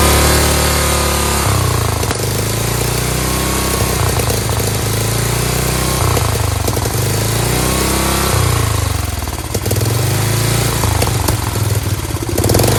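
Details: Dayton lawn tractor's 11 hp Briggs single-cylinder, first run with a bad leak and a choke that stays closed, thumps at steady speed with mild swings, no knock or rattle; it runs properly.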